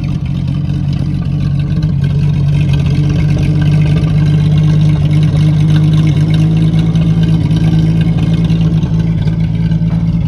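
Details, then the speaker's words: 1950 Chevy custom that sat outside 21 years, first run off a small temporary gas tank, good oil pressure: smooth, even idle with steady low hum and no knocks or misses; normal idle. "it's getting ready to run out of my little gas tank but listen to that thing run it's just purring just furry it's got good oil pressure and everything"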